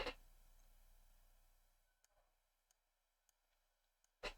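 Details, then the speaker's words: Console that would not power on, slide power switch tested: two crisp single clicks about four seconds apart over near silence; switch snaps cleanly and sounds healthy. "that's clicking that's clicking nicely that sounds okay"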